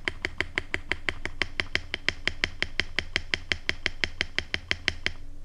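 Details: Mechanical keyboard spacebar with Everglide Panda stabilizers after a tape mod tightened a loose side, with XDA keycaps. Even, crisp clacks with no wire rattle or ping: the stabilizer sounds properly quiet.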